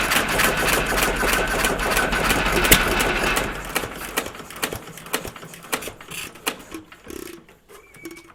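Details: Stover CT1 1.5 HP hit-and-miss engine, running after earlier trouble getting it started: steady, even chuffing of three or four beats a second that slows and spaces out as it coasts; normal running.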